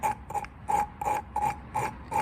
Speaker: So if you just get a bit more, get the paste back on the seat after doing that, and if you listen carefully, you can actually hear the grinding paste doing its job.